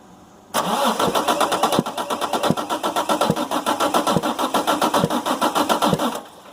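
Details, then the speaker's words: Damaged 6.7 Cummins from a Ford F750 box truck, cab and body removed, minimal wiring, batteries getting low, cranking: sharp pops about 220 per minute over the starter; suspected intake valve stuck open or dropped valve in one cylinder. "what that is, or what we believe that is the intake valve is either stuck open, dropped a valve, something like that. Something on the intake has gone wrong in one of the cylinders."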